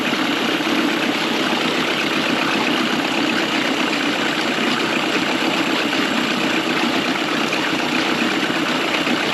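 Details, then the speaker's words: 1999 Mercury 15 hp two-stroke short-shaft outboard after carb rebuild (gasket sealant removed), new plugs and water pump impeller: steady, even buzzing idle with no stumbles, surges or misses while idle is adjusted. Normal idle. "this mother's actually running really good right now"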